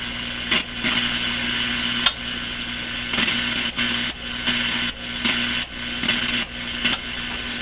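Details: Grundig Satellit Professional 650 with weak shortwave; the antenna input may have been altered or front-end parts removed. Steady hiss, whistles and clicks as contacts are touched, and reception stays weak and static-filled. Suspected poor alignment or a missing front end, not confirmed.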